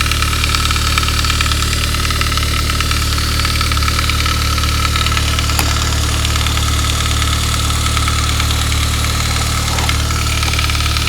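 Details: 1999 Saab 9-3 turbo, 110,000 miles, right after head gasket job, cold start: fast light metallic chatter at idle, fading after a couple of minutes; lifters and oil pressure fine; fixed by replacing the upper timing chain guide.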